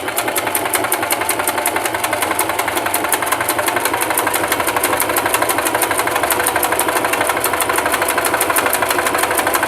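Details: Singer Simple 3232 (also called 3252) sewing machine sewing a basting stitch at stitch length 4, no backstitch: fast, even needle clatter with no catching or grinding; running smoothly and healthy.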